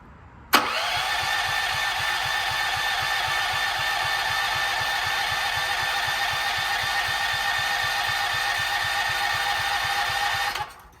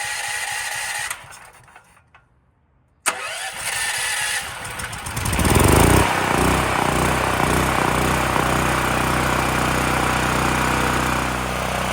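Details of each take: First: Gas generator bought about 20 years ago, revived after years in storage, reassembled with new solenoid cable: ten seconds of steady cranking that never fires; owner suspects no spark, and the spark plug was cleaned and fuel had run nearly empty. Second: Extreme Contractor Series 6,500 W (8,500 W surge) gas generator, bought almost 20 years ago and long stored, after revival and a bolt tightened: brief silence, then catches and settles in seconds into a steady, even run with no misses or knocks.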